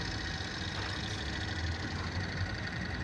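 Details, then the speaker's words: Chevrolet Prisma petrol engine at idle, accessory belt already replaced: steady rough whir over the low rumble; suspected worn belt tensioner bearing, not confirmed. "e o barulho que a gente reclamou pedindo a gente resolver um rolamento do tenso vou vir aqui como esse dá para a capital o barulho olha o rolamento"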